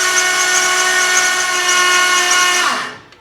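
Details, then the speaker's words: 1932 Ford Roadster with freshly swapped 335hp supercharged Ardun flathead, valves lashed hot 0.010 in, magneto off and fuel pump fuse pulled: steady starter whine nearly three seconds, no firing, then winding down; cranking only to build oil pressure (about 40 psi). "all right the mag is shut off I pulled the fuse out of the fuel pump so the fuel pump's not going to be running crank this thing over and wait for some oil to pressure up"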